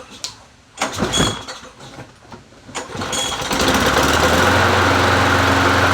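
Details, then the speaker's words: Free Bolens 22-inch push mower, 4.5hp Quantum engine, listed as non-runner, gas smells old, engine not yet warm: catches after a few pulls and runs roughly for a few seconds, then stalls; doesn't run the greatest. "oh you know it runs well I'll be dipped doesn't run the greatest well shoot that works bet that better than I thought"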